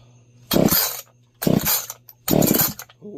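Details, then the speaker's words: Echo 501P two-stroke chainsaw after porting (intake opened) on its first start: three crisp throttle blips that rev up cleanly and drop straight back. It sounds strong and healthy, normal running. "Oh, that sound good. Yeah. Oh man, I love that one."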